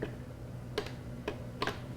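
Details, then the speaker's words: UPS plugged in for 24 hours with dead batteries: sharp, irregular relay clicks every half second or so as it keeps switching over, disrupting power to connected devices even though mains power is fine. The batteries have failed. "Even though there's no problem with the power in my house, this is creating a power problem to anything plugged into it, thereby creating the very problem that I purchased this to avoid."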